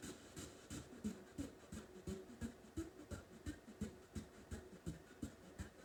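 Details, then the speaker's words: Heathkit AR-15 solid-state receiver under repair, on FM with one speaker on the left channel: quiet hiss throbbing in soft pulses about three times a second instead of steady static; pulsating beating on FM, suspected to need alignment, unconfirmed. "sounds like it needs i hear that hear that beating sound and it sounds like it's going to need an alignment"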